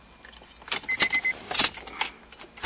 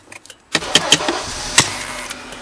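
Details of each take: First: 2003 Honda Accord after ignition switch replacement, fixing an intermittent no-start with buzzing: keys jingle, the engine cranks and catches quickly, settling into a steady, even run, a normal start. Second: 2003 Honda Accord with an intermittent no-start and a buzzing noise when cranking: light tapping clicks on the ignition switch with the key in crank, then the engine suddenly catches and idles steadily. Faulty ignition switch.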